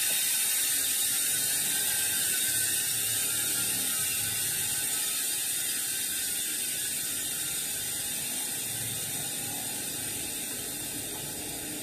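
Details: Industry Nine 12x148 rear hub: a fast, even, high-pitched freehub ratcheting buzz from the spinning wheel, slowly fading as it coasts; healthy.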